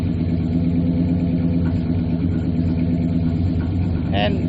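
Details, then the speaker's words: Fuel-injected gasoline Suburban with true dual exhaust (rear half from a '62 diesel system), probably low on gas after sitting: deep steady rumble at idle, even beat, no knocks or misses, idles cleanly. "okay but anyway you can hear the rumble Rubble sounds nice"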